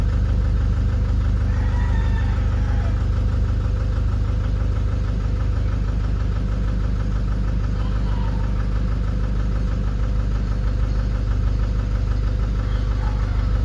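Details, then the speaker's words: Nissan Urvan Estate ZD30 E25 diesel, smoky and shaking, vibrates under gentle accelerator, no check-engine light or fault codes: lumpy idle with an uneven shake, misfiring. "Ito ang issue niya is mausok at saka nangangatal ng konti. Nagv-vibrate pag ah dahan-dahan yung apak ng accelerator."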